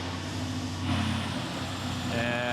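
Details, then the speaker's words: BMW X6, codes cleared after swapping cam parts between banks: uneven, lumpy idle with unsteady beat under exhaust drone; rough idle, camshaft 2 timing code returns. "there it is you can tell it's running bad oh she's angry she is angry"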